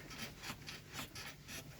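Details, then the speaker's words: Hyundai Solaris in its second year, parked car rocked by hand: soft rubbery creaks in time with each rock from the door rubbing its rubber seal; pressing the door harder stops it; fixed by adjusting the door; door seal creak. "это скрипит дверь и то же самое скрипит на резинке если и придавить сильнее рукой то этот скрипт пропадает"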